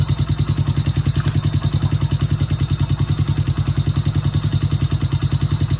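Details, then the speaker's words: Honda Wave 100/C70/Wave 125 single-cylinder engine idling after new cylinder, piston, rings, cam chain, tensioner, guide rollers and oil pump gear: quick even tak-tak-tak tapping on each beat, valve noise from excessive valve clearance before valve adjustment. "โอเคเสียงที่ได้ยินแต๊กๆๆๆๆเป็นเสียงของวาล์วนะครับเดี๋ยวขออนุญาตตั้งวาวสัก"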